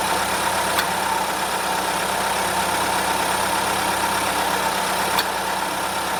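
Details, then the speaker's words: Late-2023 Volkswagen Golf, under six months old, with intermittent AC since new; R1234yf system correctly charged with 460 g, engine idling, gauges fitted: two sharp clutch clicks about four seconds apart. The compressor engages but pressures don't move, so there is no pumping. "I quickly rewatched the footage, and as you guys have already seen, although we could hear the compressor kick in, those needles weren't moving at all. In other words, there was no pumping action. The compressor wasn't doing anything at all."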